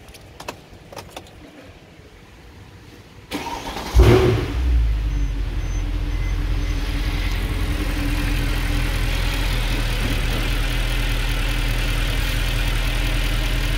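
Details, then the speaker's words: 2013 Mercedes C63 at 100k km after new PCV and valley gaskets, faults cleared: catches quickly into a deep, even idle with no cold-start flare; normal start and idle. "Not bad. There is no cold start. Most probably they turn off the cold start."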